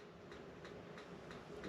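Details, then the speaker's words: RV refrigerator on auto mode trying to switch to propane. Faint, evenly spaced igniter clicks about three a second; clicking over and over without lighting means no gas (propane off or air in lines). "hear the igniter starting it's trying to light up the gas now if that doesn't light up if you hear it clicking over and over again that means it's not getting gas"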